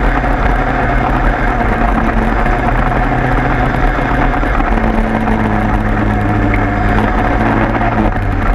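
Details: 103 moped two-stroke after leak fix, plug found very rich: steady even burble at idle with constant beat, no stumbling or hunting; idles healthily.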